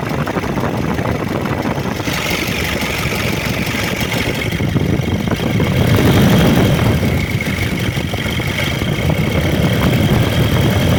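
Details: Diesel engine just bought for a car: heavy, rough idle with a loud uneven clatter and low rumble; engine judged unfit, to be returned to the seller, cause unclear.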